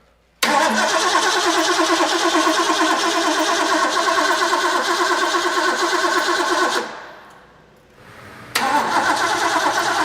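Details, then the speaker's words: Rebuilt Ford V8 from a 1972 De Tomaso Pantera barn find, off the road about four decades, first start with fresh carburetor: steady starter churning, a pause, more cranking without catching; spark present, ignition timed 180 degrees out. "it's doing exactly what I said initially it's off 180 you're just checking WR checking out the wrong T"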